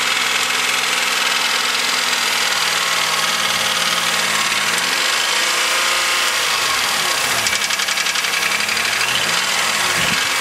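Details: 2000 Chevrolet Malibu 3.1 (3100) V6, 90,098 miles, idle: loud, rough, rapid ticking knock that barely eases as it warms; owner suspects piston slap, flush and thicker oil didn't help.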